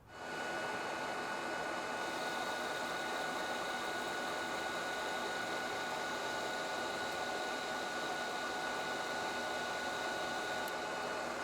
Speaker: now this is cutting so nicely I think that I'm just going to leave the settings exactly the same and take a cut of fifty-five